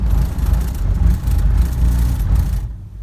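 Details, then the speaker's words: Mercedes 300D diesel, rough cold start in colder weather: low rumble with uneven, lumpy beats, a cylinder intermittently missing while cold, later runs on all cylinders; owner suspects a faulty glow plug, not confirmed. "it sounds like it's got one cylinder that's when it's cold it's not always hitting"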